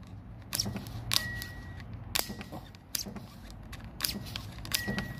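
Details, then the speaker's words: Haval Jolion turbocharger removed with exhaust manifold, wheel spun by hand: sharp clicks and brief thin whistle; faulty turbo, very noisy when fitted on the car. "Yan po narinig po naririnig po y naririnig po Nino Ingay ni yon yan pag nandon po yan sa nakakabit po yan sa sasakyan ay napaka napakaingay po yan"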